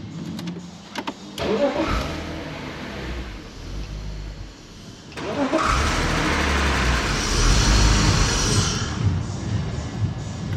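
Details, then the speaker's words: Drift car's engine on its first start after hydrolocking on water at a circuit: it catches with a rough burst and dies almost immediately, then restarts and runs lumpy and uneven, unwilling to rev. "So it fired then and then immediately died, if you didn't notice."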